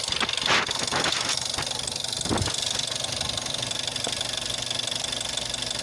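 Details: Jetta 6 1.4 TSI CAXA, 125,000 km, cold start: sharp, fast ticking knock about four a second over a quiet idle, worst after 3+ days parked, gone when warm; first noticed at 60,000 km, timing chain not stretched at 100,000 km, cause unknown.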